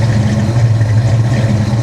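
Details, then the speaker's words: 1994 SN95 Mustang GT supercharged 347 stroker, flood car, cold start, oil pressure 80, fuel pressure 32–34: deep steady idle rumble without misses or surging; healthy idle, though broken throttle body suspected of vacuum leak. "Boy, she sounds nasty. In a good way. She sounds really nasty."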